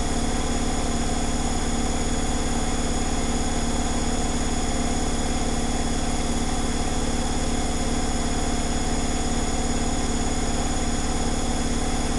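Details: Zanussi Flexi Dose ZWG7160P washer on final spin with an unbalanced load, held around 1000 rpm instead of 1600 rpm; even, heavy whirring with a regular low pulse and no crackle. Once rebalanced it spun at 1600 rpm without crackling.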